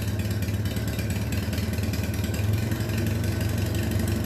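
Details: Minneapolis Moline BF tractor after in-frame engine rebuild for heavy blow-by: low, even engine beat with a steady idle and no misses or knocks; normal running.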